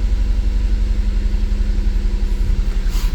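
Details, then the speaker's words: 2008 Mazda CX-9: uneven, lumpy idle with a steady stumble about four times a second; code for cylinder 1 injector open circuit, cylinder 1 misfire, no voltage or amperage on the injector scope; misfire from dead fuel injector. "let's Crank It Up definitely a misfire"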